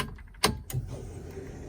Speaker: you can hear the fuel pump kicking in. That's pretty loud actually.